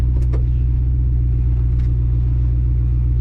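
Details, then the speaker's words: 1966 Buick Skylark after right front wheel repair and Baer front disc brake upgrade: steady road rumble at speed, no grinding or growl; front wheel bearing grinding gone, sounds healthy. "Hey, the grinding noise is gone though from the wheel bearings, so that's a plus."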